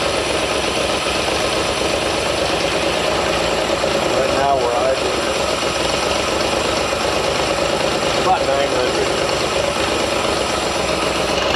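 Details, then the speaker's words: 1973 Datsun 240Z inline-six revived after years sitting, fuel system redone, warm but sat an hour, not yet tuned: fairly steady idle with slight unevenness and brief flutters; rough idle needing tuning. "It's not warm. I mean, it is warm, but it's been sitting for about an hour, and I don't have it completely tuned up yet."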